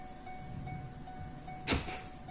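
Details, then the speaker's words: 2007 Chevy Silverado 2500 HD 6.6 Duramax: quiet cab, then one sharp lock-actuator clunk as the door opens, the power locks firing by themselves; owner suspects broken wires in the door boot, not confirmed. "the power door locks activate. So I suspect there's some broken wires in this boot in here."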